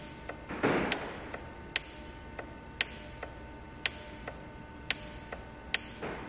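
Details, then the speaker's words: VW/Audi 2.5 L engine, N80 EVAP purge valve actuated via VCDS output test, heard under the hood: sharp clicks about once a second with fainter ticks between — valve working electrically; owner suspects intermittent sticking open from carbon. "So what that test does show us is that the Evap purge valve is actually working."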